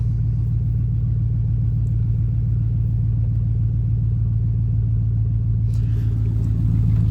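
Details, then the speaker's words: Gas truck with 5.3L Vortec V8, E3 plugs and a cold air intake, started right after applying a Diablo tune (spark and fuel changed), before warm-up. Deep, even low rumble with no misses, knocks or ticks; idles smoothly and sounds healthy. "So we're gonna go ahead and start the truck and make sure everything is good with it. So go ahead and start it fine. She sounds good."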